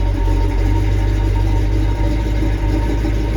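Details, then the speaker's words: Carbureted dually truck after clearing a flooding carburetor, fuel with water, no X-pipe so each exhaust side is isolated; deep, lumpy idle with occasional soft puffs from the exhaust, misfire from water in the cylinders. "so whenever you hear that puff it's misfiring that's why i didn't put an x-pipe in there because you can isolate what side of the vehicle is giving problems"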